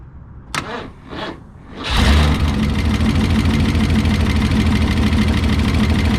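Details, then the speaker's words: 1968 Lincoln Continental 462 V8 after an oil change to Rotella diesel oil, suspected to cure a valve tick: starter cranks, engine catches and idles steadily with a light fast valvetrain-like tick on top; valve cover comes off again if it persists. "all right it seems to be full now let's see if the ticking subsides if it doesn't we'll take that valve cover back off and take another look at it"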